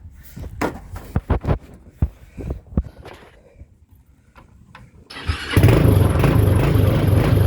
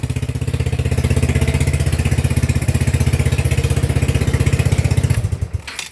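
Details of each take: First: TrailMaster 300 XRS go-kart, used, with carburetor cleaned after sitting, before carb adjustment: scattered clunks and a stumbling crank, then it catches and runs only on throttle, never settling into an idle. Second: TrailMaster 300 XRS go-kart single-cylinder engine after cleaning and reconnecting carburetor, choke plugged in, then adjusting carburetor: steady even idle thump, holds on its own without pressing gas; normal idle after carb adjustment.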